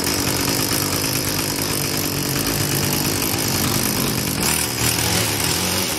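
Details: Craftsman Incredi-Pull 316.791810 two-stroke after carburettor kit and new gaskets, no throttle: steady buzzing idle with raspy exhaust crackle, holding speed without surging or dying; runs fine.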